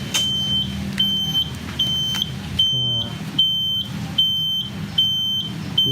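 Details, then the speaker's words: 1996 Suzuki Bravo (RC100 striping) two-stroke moped; high shrill beep about 75 per minute as soon as ignition is on, from a turn-signal buzzer likely added by a previous owner; owner thinks it is malfunctioning, cause unconfirmed. Buzzer sounding continuously. "Oke, nih kayak gini tuh suaranya. Nah ini mungkin lagi error nih. Jadi udah nyalain kontak aja udah nyala nih, udah bunyi."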